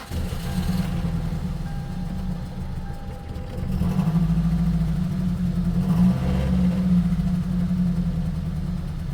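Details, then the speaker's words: Gen 7 Toyota Celica before fuel pump replacement, had cylinder 1 lean misfire and lost fuel trims after battery disconnect: low, uneven idle stumbling and surging, barely running; owner suspects fuel pump, unconfirmed. Rough running. "I plugged it back in and it just doesn't remember the fuel trims, and it's not even really doing anything now."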